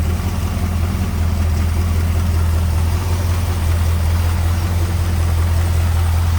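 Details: 1951 Ford F1 pickup, hood open, 302 small-block Ford V8 with Edelbrock intake: deep, steady low rumble at idle, no ticks, knocks or hunting; smooth, quiet, normal idle.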